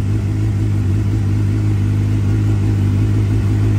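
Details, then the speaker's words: 2009 Suzuki GSXR 750 after new coils, spark plugs and fuel pump service, previously idling poorly and dying: smooth, steady four-cylinder note, even revs, no stumble or misfire. "let's start it up good she sounds like a brand new bike"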